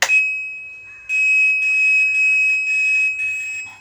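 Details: Godrej Fuzzy top-load washing machine: short bursts of high steady beeping about every half second, no motor or water sounds; beeps only, won't start, connector complaint at the control board.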